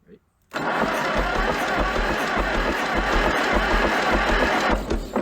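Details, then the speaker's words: Junkyard Minneapolis Moline ZAU tractor, water pump seized, belt off: starter cranks the engine at an even quick chug with little bite per stroke, suggesting low compression; doesn't catch, cause suspected not confirmed. "Doesn't sound like it has a whole lot of compression. No, it doesn't."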